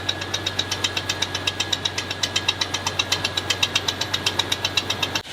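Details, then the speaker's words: Green Jeep Cherokee getting a replacement 4.0L motor, started briefly to demonstrate its existing engine: a sharp, even ticking knock two or three times a second over a steady idle, clearly from inside the engine and pretty rough. Engine knock. "You heard that knock, it sounds pretty rough."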